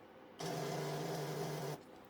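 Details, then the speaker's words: Motorbike with a flat battery, before a jump starter is connected: a short, strained buzzing whir for just over a second as the starter fails to turn the engine over because the battery is too low. "That's the starter failing to crank over because the battery is too low."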